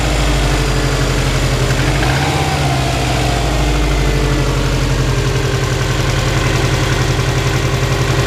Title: Subaru Impreza WRX 2002 (US) Piston slap cold engine 2